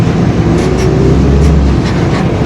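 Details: Marcopolo Torino S body on 2021 Mercedes-Benz OF-1721 BlueTec 5 chassis, long city bus, under way: a low steady growl and hum rides over engine and road noise, the rear differential growling (worn differential).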